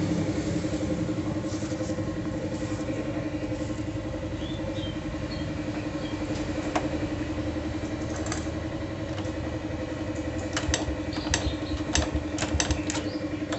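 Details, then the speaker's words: Honda Supra motorcycle after cam chain repair, carburettor cleaned: steady, smoother idle with only faint irregular light ticks; top end now healthy, normal idle. "Suaranya terdengar lebih halus."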